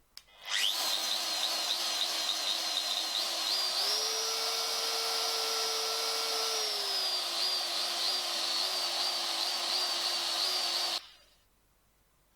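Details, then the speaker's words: DeWalt palm router, lightly used, brushes never touched, light shallow cut: high whine hunts and wavers, jumps up in pitch then sags; motor surges and stutters at lower speed settings, copes better on highest speed; owner suspects brushes, unconfirmed. "seems to cope a lot better when it's on the highest speed, but anything a bit lower, and as you can hear, it's like revving up and stuttering and spluttering."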